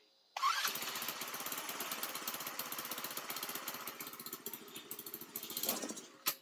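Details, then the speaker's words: Baja Dune 150 buggy with Chinese engine, owner suspects vacuum leak and unsuitable TruFuel: engine catches abruptly, runs rough with uneven pulsing about five seconds, then dies; starts and stalls, owner thinks it needs more fuel. "Oh no. Oh, we need more fuel, it seems."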